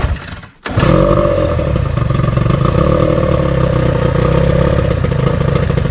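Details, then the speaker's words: Outboard on a restored 1972 Glasspar (Larson) boat, on muffs, unrun since April, carburetor run empty for storage: catches after a short pause and settles into a loud, slightly uneven clattering idle; rough running, ran like a top in April. "but in april she ran like a top and for some reason it wasn't running quite so good"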